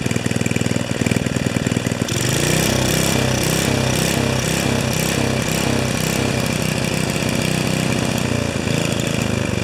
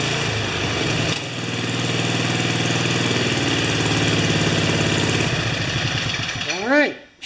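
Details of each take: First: 5HP Sno-Trac snow blower single-cylinder engine on its third or fourth carburetor: pops steadily but speed swells and sags over several seconds; still surging, though less than with the previous carburetor, cause undetermined. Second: 5HP Sno-Trac snow blower single-cylinder engine after several carburetor swaps and a stripped bolt re-tapped to 5/16, rope-started: steady, even governed beat with no rise and fall in speed; surging gone, runs smooth.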